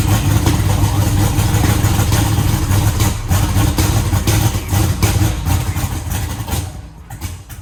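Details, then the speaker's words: Eagle Talon after rewiring and a conversion from Pro EFI to Holley EFI. The engine runs with a fairly even low beat through a few throttle blips, then shuts down; it sounds like all cylinders are now firing normally. "sounds like it's hitting on all of them now"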